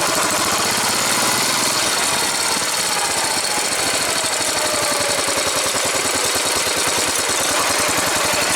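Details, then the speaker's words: New replacement engine, slow takeoff in first gear: a quick, even firing beat pulls away smoothly. The excessive valve noise from the old engine's warped valve and its bottom-end knock are both absent. "you don't hear the excessive valve noise which is due to the warped valve I'm sure and you don't hear any of the bottom in knock at all"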